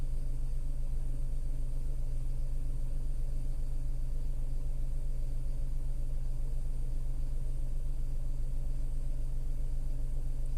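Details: Tata Altroz naturally aspirated petrol engine, delivered November 2020, about 12,138 km, heard from inside the cabin: smooth low rumble with an even pulse about two and a half per second, no knocks; healthy idle.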